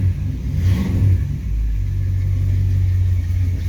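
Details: 1929 Chrysler coupe with Mopar 360 small-block V8 and 727 automatic, just started cold: quick blip, then deep, steady rumble with even beat and no knocks or misses, AFR reading 14; healthy cold idle.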